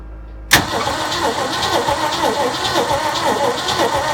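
Starter cranks steadily with an even chugging rhythm, about three beats a second, but the engine never fires; cranking without starting.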